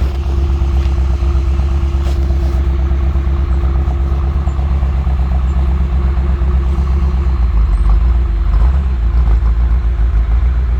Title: BMW M6 - 2 injectors misfiring and shut down